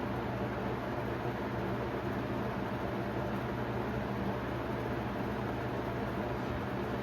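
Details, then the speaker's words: 1991 Robeson 20-inch box fan on medium, drawing 1.05: steady fan rush with a low, constant buzzing hum from loosened rivets on the guard and motor brace, plus a slight blade imbalance. Motor mount vibration noise. "You can start to hear that vibration noise as I mentioned earlier due to the riveted together guard or motor brace and such."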